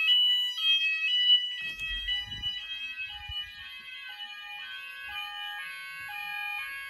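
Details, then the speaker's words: Apollo XP95/Discovery addressable house fire alarm covering the upstairs, on evacuate with one device tested. A steady alternating two-pitch electronic tone repeats about every 1.5 seconds; it is a normal evacuate signal. "we're going to see what it sounds like with the rest of the house we're going to press evacuate now i'm going to test only one device"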